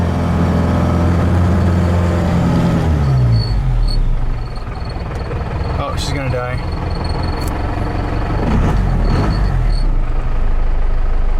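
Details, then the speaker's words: Cummins 4BT diesel, lost power after waste oil was put in the tank; lift pump flows fine, piston slightly scored: idle sags and bogs, nearly dying; owner suspects the high-pressure injection pump is failing. "I think high-pressure pump and the injection pumps going out well that's what's going on I really want to call an injection pump on this"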